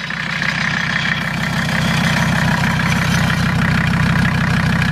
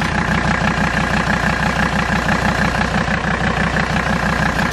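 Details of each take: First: Mercedes diesel just after Seafoam overdose (about 24 oz in fuel, 8 oz in crankcase oil): starts a little rough, steady clatter at idle with quick, slightly uneven valve tapping. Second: Mercedes diesel after Seafoam treatment in fuel and oil: even idle, soft regular clatter about three beats a second, no loud valve tap; engine sounds much better, with some vibration from a tractor flap.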